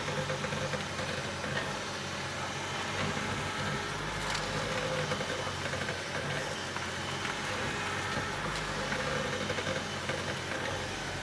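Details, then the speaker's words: BMW E65 750 after tightening the upper control arm ball joint nuts in the front suspension: steady engine idle while steering, with the earlier metallic clicking gone. "right i've now tightened those nuts and i'll demonstrate that the clicking is gone"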